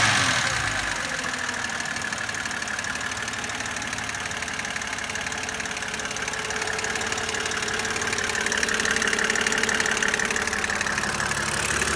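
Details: 2007 BMW E92 with N52B25 engine at idle: fast, light ticking about three or four per second over steady idle; hydraulic lifter noise.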